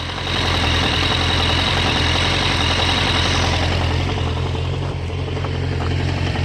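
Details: 1998 Suzuki Bandit 1200 at warm idle: steady low rumble with fast, fairly regular knock, recorded at various engine spots including clutch cover, valves, carbs, oil filter and cam chain tensioner.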